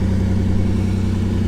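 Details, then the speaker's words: 1985 Pontiac Fiero SE, 86,000 miles, cold start with mic in the back; smooth, steady low rumble with even beat, no ticks, knocks or misfires; healthy normal idle. "all right guys cold start to the collage - very nice - she's fine"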